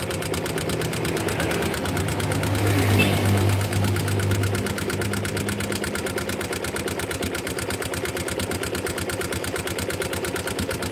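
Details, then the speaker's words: Yamaha Jupiter MX engine before teardown: fast sharp even ticking about three per second over idle, fairly loud, from loose rocker arms; slight pulley-side bearing looseness, cam chain noise not detected; valve tappet clatter. "oke di sini e suara cukup kencang itu dari suara pelatuk yang mengalami kelonggaran kemudian di sini laker pada pulit juga ada sedikit kelongkaran tapi suaranya enggak begitu ekstrem"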